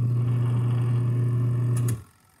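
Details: Portable twin-tub washing machine (5 kg capacity), empty spin tub running after repair of a no-power fault traced to a bad cable: even, steady low hum for two seconds, then cuts off cleanly; motor running properly.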